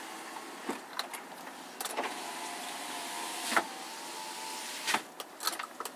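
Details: 2007 GMC Yukon Denali AWD, 6.2 L V8, 175,000-plus miles. A click, then a smooth, even electric whir for about three seconds as the power window runs down; the window motor sounds normal.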